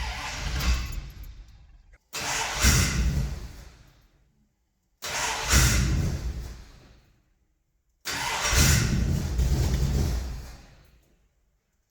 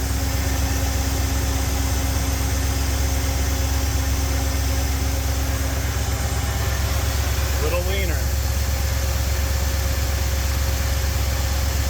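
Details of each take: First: Ford 351 Windsor V8 catering truck, 5W20 oil, neutral safety electrical issue: four long cranking bursts, weak coughs but never catches, strong smell; hard start, weak ignition suspected. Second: Ford 351 Windsor V8 in classic catering truck, idle mixture screws leaned while watching vacuum, about 18 inHg: steady, even idle with firm low rumble, idle RPM risen, no stumble; normal idle.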